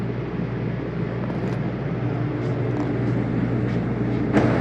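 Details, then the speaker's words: 2022 Mesa Ridge 261BH travel trailer, rooftop AC switched on to cool from the thermostat inside. Steady low hum under an even fan rush that slowly builds, no rattles or squeals; unit runs normally. "Fan turned on, so I turned it on. Get the AC to crank up here."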